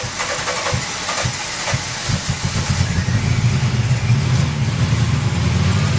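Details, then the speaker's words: 1985 VW Cabriolet with CIS fuel injection, off the road about 17 years, after new spark plugs: uneven stumbling catches for two seconds, then it fires and runs rough with light revs; only starts while gas is pumped, owner suspects electrical problem. "although it will not start unless I'm pumping the gas and this is the CIS system so it's probably no need for me to do that"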